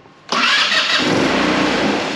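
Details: 2008 Taotao/Titan scooter, fuel pump confirmed working: after silence the engine catches suddenly and runs loud and raspy, tapering over two seconds as it fires briefly on carb cleaner primed into the bowl.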